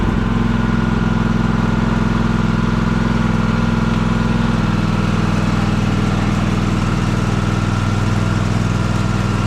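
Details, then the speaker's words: Husqvarna TS354XD riding mower with 54-inch ClearCut deck, test run after deck belt replacement, tension reset and grease fittings serviced: steady even engine drone, smooth deck hum, no slapping or squeal; normal running. "Let's fire it up and give it a test."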